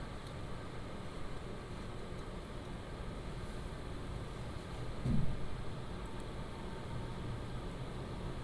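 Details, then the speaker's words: PCcooler DT360 ARGB Display liquid AIO radiator fans ramping up RPM at medium fan profile: a soft, even airy whoosh with no ticking, rattling or grinding; healthy fans. "That is the actual radiator fans that is ramping up the RPM."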